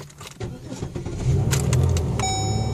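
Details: 2005 Pontiac Grand Am after the blinking security light ran out its 10-minute relearn: keys jingle, short crank, then it catches and settles into a steady low idle; clean, normal start.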